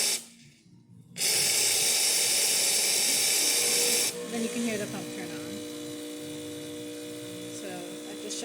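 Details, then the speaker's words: Pasquini Livia espresso machine after pump and foam replacement: rush of hissing water from the group head, then the new vibration pump kicks in with a steady low buzzing hum that holds evenly; pump working properly. "just shows the pump is working, and everything else is working."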